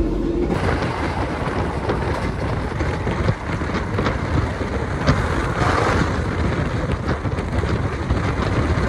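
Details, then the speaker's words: KA Jaka Tingkir new-generation retrofitted economy coach on the Jogja route, rear seats, at speed: loud constant low rumble, rushing roar and occasional thumps; much noisier than other trains ridden, source unclear. "Kayaknya pas saya naik Banyu Biru dan apa ya oh gbmsak Baru Malam Selatan itu gak terlalu berisik-berisik banget deh ini berisik banget ini apalagi di kursi yang belakang ya"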